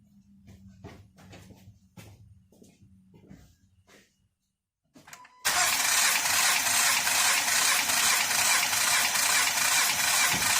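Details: 2013 Honda Pilot J35 V6 that jumped timing and stalled, bent valves and no compression: after a few cranking knocks it runs loud and uneven with a ragged, hissy roar; rough running, owner suspects flooding.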